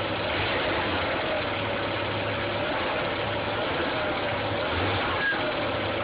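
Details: Audi A4 1.8T AEB engine at steady idle with a faint, uneven low hum and an odd off-note underneath; owner cannot locate the strange noise, which always appears in freezing weather.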